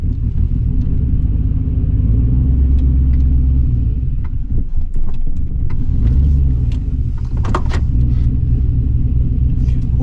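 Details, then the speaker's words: 2005 Silverado with junkyard LS swap and Truck Norris cam, first drive after fixing the ground, not fully tuned: deep choppy lope with uneven surging at idle; will stay rough until properly tuned. "It's going to be a little rough in the beginning till we get a good tune going."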